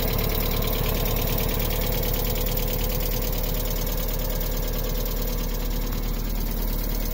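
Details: 1998 MGF engine, first run after a few months; steady engine note with uneven, fairly quick knocking beneath it, cause unknown.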